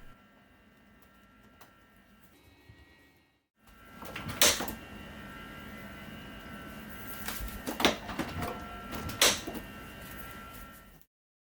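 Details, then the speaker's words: Samsung RFG298HDRS French door fridge, 10-12 years old, after adding a spacer to the lower left door hinge bushing to fix door sag: a few sharp loud clicks from the lower hinge area as the door swings, not from the spacer. "the million is working fine but I now have a loud click when moving the door sounds like it's coming from the lower hinge area"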